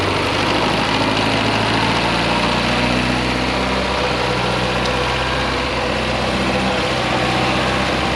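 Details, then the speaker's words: Abandoned 1975 Chevy Vega Cosworth starting up before a road test: smooth, buzzy, rotary-like idle that sits fast and even with no dip or hunting; high idle. "Sounds like a rotary. Look. That thing sounds like a RX-7 rotary. And the idle's high."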